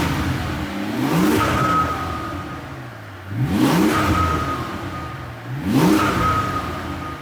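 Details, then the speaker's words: Mercedes CL65 AMG twin-turbo V12 with a rebuilt engine and aftermarket mufflers: three clean throttle blips about 2.5 seconds apart, revs rising and falling smoothly with a quiet exhaust. Healthy revving. "this car does have aftermarket Mufflers but it's just very very quiet it's decent when you give it some throttle though listen to this"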